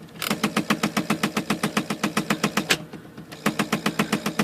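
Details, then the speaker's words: IBM Selectric III typewriter, just switched on: rapid repetitive thumping about three or four per second from the mechanism, louder and felt when a load is applied, indicating a cracked center pulley hub. "so I just turned it on and you can hear it making a repetitive thumping sound that's that loud I can make it a little louder by putting a load on it and you can feel it"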